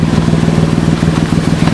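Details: 2006 Toyota Sienna after roadside repair of no-crank, stuck-in-gear shifter complaint: quick, even engine pulses at steady idle with some outdoor clatter; van running normally again.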